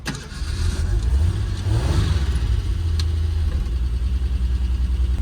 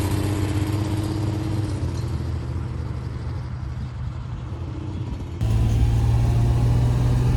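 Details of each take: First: 1976 Ford Pinto, carb just fitted with sawn-down part, test driving around lot: low drone that sags and falters under throttle instead of pulling; engine stumbling and dying, cause not yet found. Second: 1976 Ford Pinto after fuel pump was rigged with new wiring run over the hood, pump not bad: low steady engine drone with firm even beat, picking up slightly at end; running smoothly after restart.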